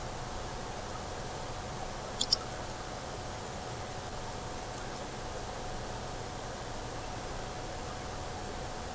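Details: Western Digital Scorpio Blue WD3200BEVT 320GB laptop hard drive at idle: near-silent hiss broken by a quick pair of sharp clicks, a common trait of these drives; cause not established.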